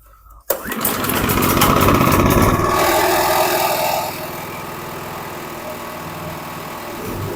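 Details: Karcher KXS 302cc small engine off a log splitter, wouldn't start after sitting a year (ether had been used), bolted down with fresh premium fuel: one pull, fires, revs briefly, then smooth even idle about four beats a second; normal start and idle.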